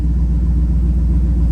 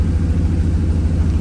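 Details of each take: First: 1937 Nash coupe, 6.0 Vortec V8, after fixing the dead bank: deep, even idle settling closer to the target rpm, steady low beat with no misses. Normal idle. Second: 1937 Nash coupe, 6.0 Vortec V8, Holley harness, new 58 lb/hr injectors: deep, lumpy idle around 800 rpm, not yet fully warm, with an uneven exhaust thump. One side isn't running.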